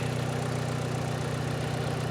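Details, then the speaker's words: 1970s Chevy Suburban with manual transmission at a Copart salvage lot: soft, even low hum with steady pulse, no knocks or ticks; quiet, smooth, healthy idle. "But it runs good. It's very quiet."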